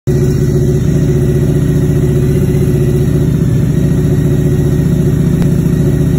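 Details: High idle on a Harley-Davidson V-Rod: steady, even V-twin idle held noticeably fast with no dip or hunt; idle set too high.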